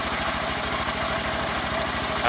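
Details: Honda Grom single-cylinder after rebuild (new piston, head, cylinder, high-flow oil pump), first start: fast even thumping, steady with no knocks or misses; healthy idle.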